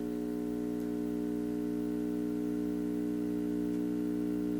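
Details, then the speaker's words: Hallicrafters S22R shortwave tube receiver from a yard sale, powered up on 70 V AC: steady, low mains hum at 60 cycles; owner suspects a bad filter capacitor. "that sounds to me like 60 cycle hum which would indicate a bad filter capacitor which wouldn't surprise me"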